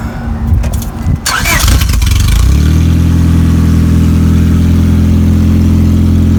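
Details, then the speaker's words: A 2000 Honda Accord 2.3L 4-cylinder starts after belt replacement: after some rattling it catches into a loud, deep, steady drone. Its catalytic converter was stolen while it sat in a parking lot. "Sounded like you had a new exhaust system. Yeah. Since the car's been in the parking lot, somebody stole his catalytic converter."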